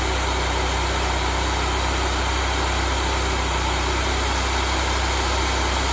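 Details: Honda GX630 V-twin just restarted after a smoked camshaft, with new oil, before the speed is set to 3600 rpm. A steady, even drone with no misses or knocks, both cylinders firing cleanly: normal running.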